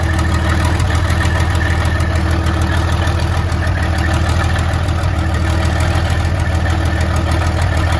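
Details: 1972 Freightliner cabover diesel started after 27 years: low, uneven idle with irregular lumpy beat, rough misfire with not every cylinder firing cleanly as it clears; oil pressure about 80 psi.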